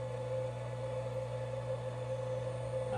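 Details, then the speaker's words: Newly installed Chinese CNC spindle, replacing a router that caught fire, ramped slowly to full speed: quiet, steady high whine over a low hum with no wavering or grinding; spins smoothly and sounds healthy. "and i hear it turning on i'm gonna turn it all the way up and i'm gonna bring you around and the ramp up on this thing is very slow there should probably be a way to change that but you can hear it's ramping up kind of sounds epic kind of like a rocket about to take off or something"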